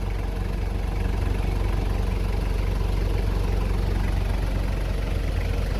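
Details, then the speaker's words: 1996 Toyota Hiace turbo diesel with only 1000 km: low, even diesel idle chug with no knocks or misses, running normally. "les turbo diesel de toyota une merveille de fiabilité de puissance écoutez le ronronnement d'être c'est génial"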